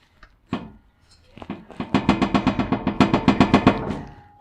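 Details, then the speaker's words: 1979 Chevy Caprice after its loose exhaust bolts were tightened: sharp metallic clunks about four per second as the muffler is shaken. It is hitting the trailing arm bolt. "that's hitting right on that bolt right there for the uh trailing arm"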